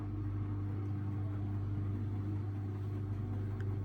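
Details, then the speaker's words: Samsung Ecobubble 8/9 kg digital inverter washing machine, Daily Wash intermediate spin after a redistribute stop: smooth, steady low hum with no thumping or knocking; balanced load, very quiet healthy spin. "It's balanced now. Well, you can definitely hear how very quiet it is for a digital to inverter motor."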